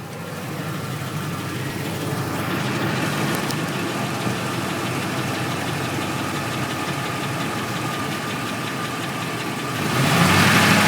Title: F150 knocking noise